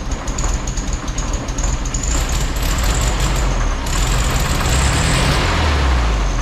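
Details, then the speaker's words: Freshly rebuilt air-cooled VW Beetle engine, timing just reset, idling through break-in heat cycles: uneven light tick with a faint high scrape on top, the cooling fan rubbing its housing and sounding like a knock rather than a true knock. "It's running pretty good, although our fan is rubbing a little bit and making it sound like a knock, which is driving me nuts."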